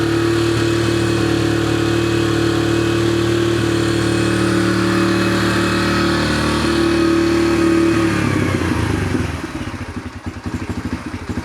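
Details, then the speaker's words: 2004 Yamaha TTR125L after carburetor clean and rebuild warming up on choke: steady, slightly lumpy single-cylinder idle, fading as throttled down; nothing leaking, sounds decent; idle to be adjusted. "Everything seems good. Sorry about the noise. Sounds decent."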